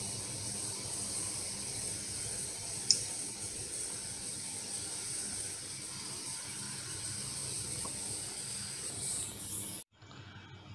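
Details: Cheap old-style mobile phone switch-mode charger, before repair: thin steady high-pitched whine over faint hiss, constant pitch; degraded low-capacitance auxiliary/output capacitor, fixed by replacing 0.47 µF and 2.2 µF 50 V capacitors.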